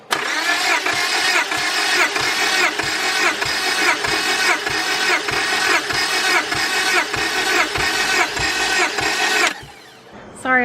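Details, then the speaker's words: Honda Prelude BB6 with H22 engine, an auction car, cranking evenly for a compression test at about one and a half beats a second, then stopping. Compression reached about 170 (typical H22 around 150), so the motor is healthy. The car still won't start; owner suspects the ECU. "i know the motor is healthy because the compression test was really good like 170 is probably the highest compression that um an h22 motor that i've compression tested has ever been they're usually around like 150 like on all cylind"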